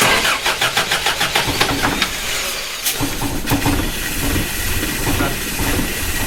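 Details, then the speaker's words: Toyota Hilux first start after body swap: even cranking about five beats per second, then catches and runs rough; fires only with the ballast resistor bypassed and power straight to the coil, which owner fears may overheat it. "when I just unplugged the resistor and went power straight to that side of the coil that fired up loved it"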